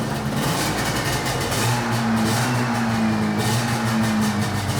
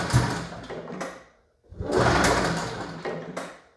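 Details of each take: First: 1981 Yamaha SRV 540 two-stroke snowmobile, barn find, after clearing debris holding the reed valves open: fires right up, raspy two-stroke buzz holds and swells on throttle blips, pulls cleanly without stumbling, smoky from old oil; running properly again. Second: 1981 Yamaha SRV 540 two-stroke snowmobile, barn find, after carb cleaning and new plugs: two bursts of recoil pulls spin the engine with a dry whirring but it never fires; no start, debris holding the reed valves open.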